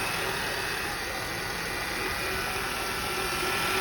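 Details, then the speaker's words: 2004 Honda Accord (J30/J32 V6) idling: a thin whine from the serpentine belt drive side, rising with revs and changing pitch in gear and on the road. Replacing the alternator didn't fix it; power steering pump ruled out. Tensioner/idler pulley bearing suspected. "It's consistent with the RPMs of the vehicle, so when you put it in drive, reverse, and you're going down the road, the whine actually changes pitch,"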